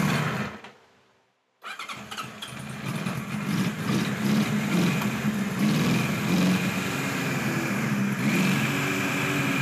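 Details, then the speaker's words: 1976 Kawasaki KZ900 A4 four-cylinder project bike on its first run: it cranks and catches after a pause, then runs with a lumpy, wavering idle and occasional stumbles; rough running after a hard start, cause not evident. "the clips you just saw were running yesterday I didn't want to keep you in suspense any longer and it doesn't run that well as you can see I had a little trouble starting it"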